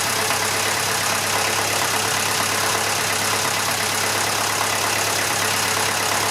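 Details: Massey Ferguson 35 (835), Standard 23C diesel, first run after sitting at least a year: even, steady, low idle beat with no knocks or stumbles; a bit of blow-by expected for the age, normal idle.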